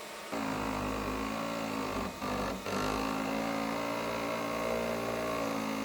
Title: ELEGOO Neptune 4 Pro 3D Printer , scratching plate and weird noise, printing issues and more